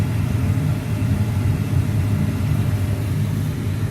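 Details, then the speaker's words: Gas furnace after the disconnected igniter was reconnected: the glow plug heats, gas turns on and the flame sensor detects the flame, giving a low steady burner rumble with no clicking or cutting out. The furnace keeps running and is back to normal ignition. "Gas will turn on. Sensor, because we have that connected, it says yeah, everything's good, and the furnace keeps going. Glow plug will turn off there. So now we're back to normal."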